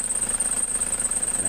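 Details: Car idling with AC on: fast rough pulsing and a thin high whine from the AC compressor, whose pulley shakes and wobbles; it stops when the AC is switched off. The AC cools poorly, and the noise returned 2–3 months after earlier compressor part replacements.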